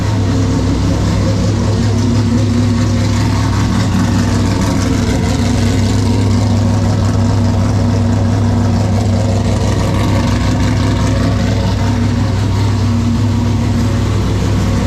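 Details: LS2 V8 in a Corvette-type car, newly converted from Holley Sniper 2 to Haltech Rebel LS with LS intake, first start after fuel pressure check at about 5: deep, steady idle rumble, no stumbles; engine runs smoothly.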